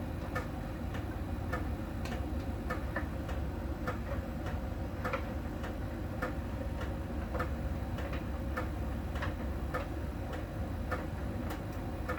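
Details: Miele tumble dryer during drying: light even tick a little under once a second over a soft drum rumble, from a small ball sensor touching a contact spot on the drum each turn; normal, per the Miele technician.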